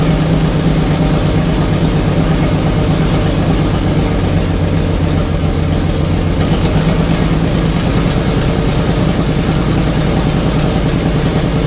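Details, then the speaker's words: 1987 Jeep Wrangler YJ 4.2L, first start after arriving as a basket case, no exhaust fitted, timing light on: loud open-pipe idle that stumbles and hunts, not consistent; rough uneven idle, owner plans new plugs but doubts they'll help. "that's not too good one it's doing that obviously you can hear it's not consistent at all"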